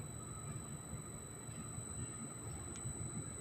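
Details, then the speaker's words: Motor on a Schneider inverter set to restart automatically after power loss: after power is restored the indicator comes on and the motor resumes its preset; quiet steady low hum under a thin constant high whine from the drive, no rattles or hunting, running normally. "Bisa kita lihat setelah arus listrik masuk, indikator akan on dan motor akan berjalan sesuai settingan awal."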